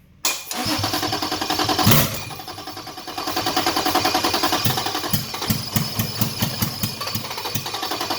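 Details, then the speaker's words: Toyota Cressida with 2JZ engine swap and LQ9 coils, brake cleaner sprayed into intake: cranking catches and fires roughly and unevenly for several seconds before fading; injectors unpowered (missing harness plug), so no fuel, with coil power also missing. "all right as you can see I got the start not for a long time but started under its own power one thing I was missing there's this bf2 or three plug that needs power for the injectors that's why I wasn't getting any fuel"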